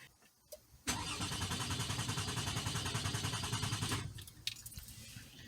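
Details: 2004 Toyota Sienna 3.3 L: starter cranks steadily about three and a half beats a second for three seconds but never fires, consistent with no fuel delivery; crank no start traced to a blown injector fuse.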